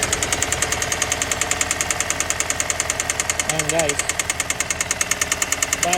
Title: 2014 Santa Fe - Knocking Noise